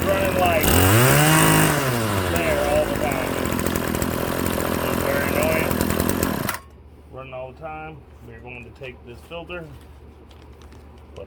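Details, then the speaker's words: RedMax BCZ260TS trimmer that was high-revving with a stuck throttle, after throttle cable and fuel line replacement: the two-stroke buzzes at a steady, even speed without hanging at high revs, then shuts off. It idles normally. "There we go. No more high throttle. It's running."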